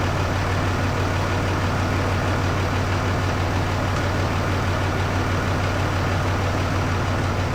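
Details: Rebuilt truck fired up with the door open after the odometer was swapped from miles to kilometres: deep, steady idle with an even beat, no knocks, misses or rattles; no leaks so far, a little squeak noted; normal idle.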